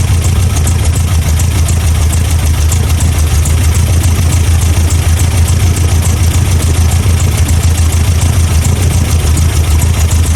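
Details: 1987 Toyota Pickup 22R four-cylinder, carbureted, smooth steady low idle with no misses after plug check and timing set (distributor vacuum removed), following fuel pump and carb gasket replacement for vacuum leaks; all four cylinders firing, timing correct, idle nearly perfect.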